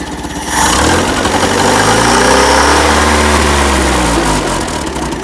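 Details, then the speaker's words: Land Rover Series 1 109 after carburetor swap, started with starting fluid, untuned: engine catches and revs, then loud raspy throaty note from cut-off exhaust pipe, otherwise running cleanly; loud exhaust from shortened pipe. "You hear that exhaust that's just cut off there, she's a bit throaty."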